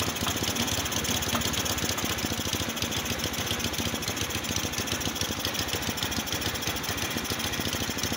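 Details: Motorstar Easy Ride 150 that had no idle, high then dying idle and heavy fuel use, after auto choke fix and covering the air hole: single-cylinder putter holding a steady idle around three and a half beats a second, no hunting or stalling.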